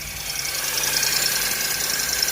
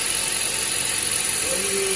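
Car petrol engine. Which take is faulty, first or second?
first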